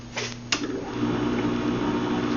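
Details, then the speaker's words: Westinghouse Portatape H25R1 reel-to-reel tape recorder warming up: switch click, then steady low hum with hiss; runs noisily, owner suspects loose tube sockets and worn motor mounts, unconfirmed. "very noisy but it works it has some tube issues in it like the tube sockets are loose or something"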